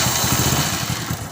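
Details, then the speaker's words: HF Deluxe motorcycle after greasing the self-starter to cure its starting noise: the small single catches and settles into a steady, regular putter with no grinding or clatter; normal on starting and stopping. "दिखाते हैं बिल्कुल normal आवाज़ हो गया start करने वक्त भी अब आवाज़ नहीं करती है और बंद करने के वक्त भी नहीं करती है"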